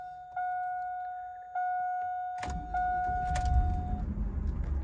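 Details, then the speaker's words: Chevrolet Suburban (GMT800) V8 before drivetrain removal for an LS1 turbo and 4L80E swap: chime beeps, cranks and catches into a lumpy, uneven idle with an irregular beat; owner suspects two bad cylinders, unconfirmed. "I don't know if y'all can hear that but she definitely got two hurt cylinders"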